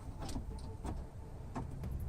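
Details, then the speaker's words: Honda power window stuck partly down: low motor drone with irregular sharp clacks and heavy rattling as the window moves, suspected from the regulator cable. "And I'm thinking it's gonna be something with the cable, because I heard it kind of rattling a lot."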